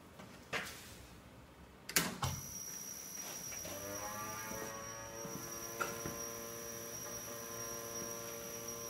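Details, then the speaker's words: Small CNC router with lead screws, motor power switched on before running a simple file at 1800 speed: switch clicks then steady electrical hum with thin high whine; suspected from board loose on top of metal box. "Esse barulhinho que está fazendo é que a placa está solta em cima da caixinha de metal."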